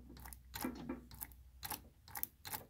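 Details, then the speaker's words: Ryobi 3302M offset press, main oscillator at the delivery end, rocked by hand from the non-operator side: crisp clunk at each reversal about twice a second from a worn drive block, which can cause shock lines on prints. "see the play in there and we want to get rid of that because that'll cause shock lines sometimes if you're printing a big screen you can actually see because the oscillator when it changes direction is not a nice smooth change"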